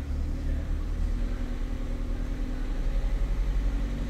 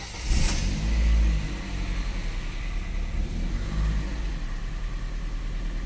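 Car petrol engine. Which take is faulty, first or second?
first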